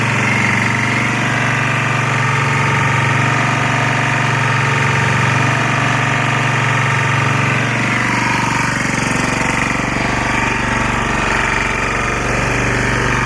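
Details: Lombardini 6LD260 air-cooled diesel on a traffic sign, cold start after 10 years unused, old fuel purged, fresh diesel from remote tank; steady even single-cylinder chugging, no knocks, misses or hunting, smoking a little, running against the generator; normal idle.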